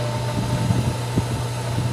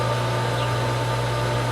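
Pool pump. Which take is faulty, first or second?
first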